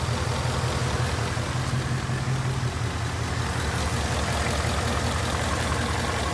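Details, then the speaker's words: 2019 Mustang GT with almost 16,000 miles after an accident; faint uneven knock around 160 a minute over the idle rumble, owner says it is not the normal direct-injection tick; source not pinned down. "you hear that there's a knocking noise it's not bi with something else a DI is a Content likes just this is this is something else"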